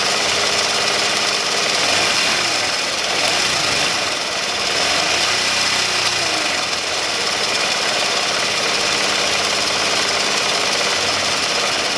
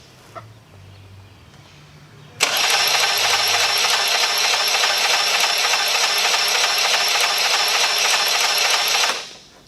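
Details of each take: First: Honda Elite 80 (CH80) scooter after top-end rebuild, first start on a totally cold engine at 32°F: small engine buzzing hard, rising and falling with throttle, rough but steady, no knocking; normal running. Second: Honda Elite 80 (CH80) scooter, over 11,000 miles, catastrophic engine failure: fast even cranking about three turns a second, no compression pulses, light clatter each revolution; about 15 psi compression, oil-fouled plug; failed piston rings suspected; low compression from broken piston.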